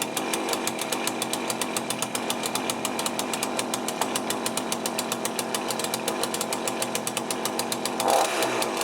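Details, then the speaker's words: Cheap chainsaw with a Walbro carburettor, just rebuilt with a new gasket kit, first start. Small two-stroke buzz with a quick, slightly uneven popping idle and a blip near the end; owner suspects the low-side mixture is too lean. "i guess you might need to on the low side maybe it's a bit too lean that's why it's hard to start a little bit"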